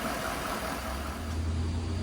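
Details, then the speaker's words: 2013 Chevy Silverado 1500 V8 (oil pressure issues), fresh oil change, nearly at operating temperature, idling before adding oil additive: steady even low rumble, no knocks, ticks or surging; normal idle. "I mean, there's no odd noises or vibrations or anything like that. It's a nice and smooth running engine, plenty of power."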